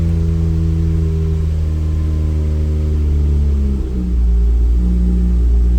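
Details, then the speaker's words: 1993 Toyota MR2 SW20 swapped with a 2GR-FE V6, first start after the Frankenstein Motorworks ECU update, cold and not run for days: deep idle sags and dips, then settles at another speed; idle hunting, cause not found. "see where it's idling and again this hasn't run in a few days so it's looks like it's just trying to find Its Right Idol"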